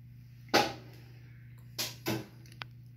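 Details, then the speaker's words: Whirlpool top-load washer whose lid stays locked with a blinking LED, started on spin: low steady hum with a few sharp clicks and clunks as the lid lock actuator engages; normal actuator noise. "and if you could hear the noises that the actuator changes is making, which is normal"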